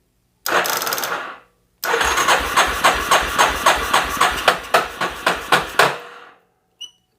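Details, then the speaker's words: 1988 Yamaha Terrapro ATV cranked on a weak jump box: starter drags slowly and unevenly, about three to four labored compressions a second, never catching; no spark found, something sounds off, cause unconfirmed. "okay something sounds a little off to me I'm hoping it's not something off in the motor I think we're going to hold it there for a minute we are turning over a little bit slow with this jump box"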